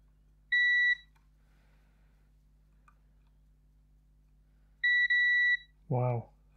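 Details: Xbox One S 1TB that powers on then straight off, board with burnt traces and solder blobs: multimeter gives two steady high-pitched continuity beeps of about half a second and a second, showing points connected, suggesting a possible short.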